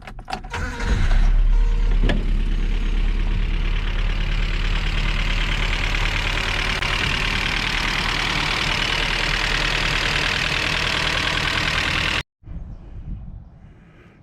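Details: Datsun 620 truck after the head came back from the machine shop, was reinstalled and an old braided hose was replaced: quick catch, then an even, steady idle with no knocks or misses; it runs healthy.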